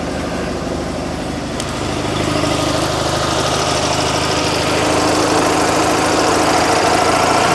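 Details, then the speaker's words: Invacar two-stroke, reversing out: busy fairly regular idle picking up slightly as it warms; owner thinks the choke is sticking despite zero choke, unconfirmed; rough idle while warming up. "I think the choke's sticking. That's zero choke."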